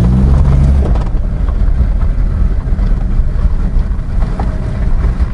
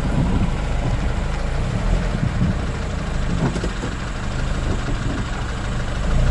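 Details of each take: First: Honda CR-V, rear differential after cleaning and refill with new oil, steering at full lock: low even vehicle rumble with no creak, squeal or whine, so the differential noise problem is considered fully fixed. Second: Honda CR-V on full steering lock right then left: low rumble with scattered uneven crackles from the rear differential, which has gone past creaking to crackling; oil change doesn't always cure it.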